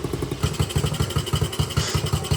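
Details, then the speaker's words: Small single-cylinder engine, after smoky startup blamed on oil buildup in the cylinder, small fuel leak noted, warming up: fast, even putter with steady firing, no misses, knocks or rattles; normal running. "All right, she's running. Man, I tell you, this thing is running good."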